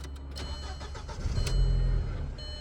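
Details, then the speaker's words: 2004 VW Passat after crankshaft position sensor, EVAP sensor and vacuum hose replacement: engine fires, surges to about 2,000 rpm with throttle for a second, then dies. "I guess that wasn't the problem. Give it a little bit of gas to try and see if I can get it the revs to stay up."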